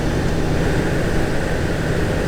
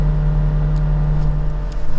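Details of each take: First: 2017 VW Golf Alltrack (MK7) HVAC blower after replacement with part 5Q1819021: steady rush of air at full fan speed, only motor and airflow sound, no rubbing, ticking or squeal; healthy. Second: 2017 VW Golf Alltrack (MK7) HVAC blower at top speed: steady low droning hum with a rough, uneven edge, worst at max speed, sometimes shutting off completely; blower motor failing, replaced.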